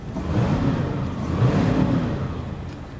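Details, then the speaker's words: Montego engine, cold, after a road-call repair of a snapped throttle cable (likely hit during engine removal), temporarily fixed to last until a replacement cable arrives: runs good now with good oil pressure on a full tank of premium, revving smoothly and settling back without stumbling; normal revving. "okay know if you can hear that or not but uh it runs good now it's running cold oil pressure is good"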